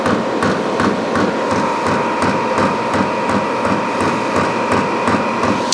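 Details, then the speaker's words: Vevor portable diesel heater about a minute into startup, fuel pump and glow plug warming: steady fan hum ramping up with a crisp fuel-pump tick about three per second speeding up; starting up normally. "okay we're about a minute in still cool air I smell what smells like a tiny little bit of exhaust the fan is ramping up the fuel pumps speeding up sounds like it's working"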